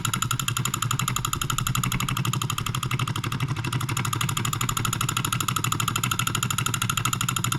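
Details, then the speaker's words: NOS late-1940s/early-1950s Wilkemp Jr Model E solenoid engine from Fishers Indiana, possibly first run in 70+ years: fast even tapping at constant speed, no misses, slight shaking from poor balance, running well. "it doesn't appear to be very well balanced it's shaking a little bit but it seems like it's running really well"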